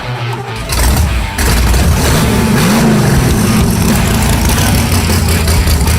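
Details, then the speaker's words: Vette Kart engine restarted after being upside down in a rollover, fuel problem fixed with non-vented cap: cranks, catches, runs ragged and uneven at fast idle; oil likely in the chambers, expected to smoke. "Yeah, there's probably oil in the chambers, but Oh, yeah. It's going to smoke. I think it'll be all right."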